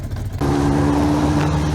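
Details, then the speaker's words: Motorcycle with freshly cleaned stainless exhaust headers and a new petrol tap, still cold: the engine catches and settles into a smooth, steady idle with a firm, even exhaust note and no rattles or misfires. "És akkor ilyen hangja van. Hideg még."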